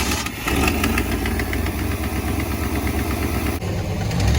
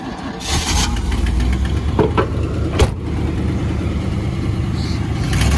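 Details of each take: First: 1991 Camaro RS, first run in years, after trying the fuel pump relays: lumpy, choppy idle that picks up cleanly and holds when blipped, no stumbling or dying; now takes throttle properly, sounds like a big cam. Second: 1991 Camaro RS running for the first time in years, moving in reverse: uneven low rumble that sags and stumbles under throttle, dying when given gas; sounds fuel-starved, fuel pump relays suspected, not yet confirmed.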